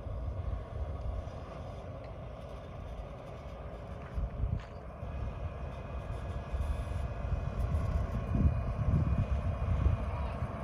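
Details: Bluebird FC coach diesel that wouldn't start due to a faulty fuel shutoff solenoid, now running on a temporary fix: low, even diesel rumble with wind across the mic, firming up toward the end; engine running normally.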